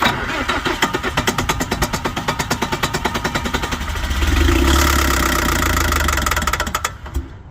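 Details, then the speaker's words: Bobcat 743 diesel skid steer, about 30 years old, after hours of checks and priming: starter turns it over evenly about three times a second, briefly tries to catch, then dies; seemingly not getting fuel. "to me it sounds like it's not getting fuel. I think that's pretty evident."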